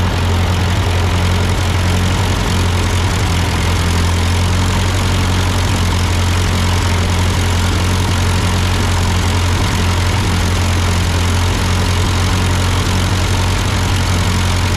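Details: Ford 8N tractor idling after an amateur carburetor adjustment. Uphill sputtering had been traced to a cheap Chinese replacement carb; an old Marvel-Schebler ran fine. Deep, even idle with a steady low thrum and no stumbles or surging; a normal idle.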